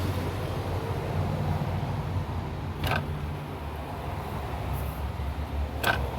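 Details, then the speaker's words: 2001 Chevrolet Monte Carlo LS radiator cooling fan motor, removed from the car and run on high speed: steady low drone with a sharp creak about every three seconds; this worn fan motor was the noisy one, replaced with a junkyard unit. "you hear the noise. So this one is the one that was making the loud noise."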